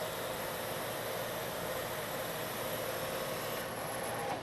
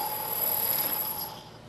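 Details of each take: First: Metal lathe turning a long, thin part, now supported by a centre in a machined centre hole, at the same depth and speed that chattered before. Steady hum and cutting hiss with no chatter, giving a much better surface finish. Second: turning long thin Parts such as this one can be a problem due to the deflection of the part due to the cutting forces produced by the tool I'll show you what that looks like and sounds like if I try to take a pass this part you can hear the noise the chatter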